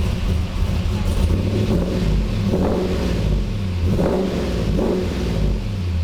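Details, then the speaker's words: 1985 Monte Carlo SS with cammed 6.0 L LS2, after freeing stuck injectors on cylinders 1 and 7, now on all eight cylinders: deep V8 rumble through several throttle blips, even and full, quick response with no stumbling; normal revving. "She sounds great! Throttle response is quick. No more stumbling."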